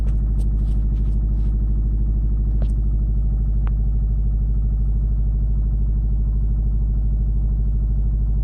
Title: More exhaust leak?